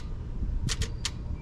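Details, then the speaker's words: John Deere 310D backhoe, cranks but won't start, Stanadyne injection pump: key turned on gives a few crisp clicks over a low hum as the fuel shutoff solenoid gets power and pulls in. "so first step we're going to turn the key on and make sure we hear a click in here"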